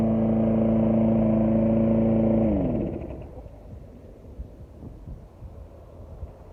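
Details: 2006 Briggs & Stratton XC 35 mower that wouldn't start, after fixing a loose brake/kill-switch cable that kept the kill switch closed: steady single-cylinder drone holding pitch, then winding down smoothly at shutoff; normal running.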